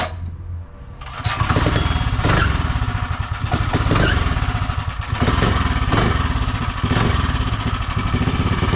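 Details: Predator 212 (Monster 212) single-cylinder in Mega Moto minibike, fresh start with new thick-flange custom exhaust V2.0 and exhaust wrap, chain on, clutch cover off: brief crank then steady even putter, super quiet; normal running.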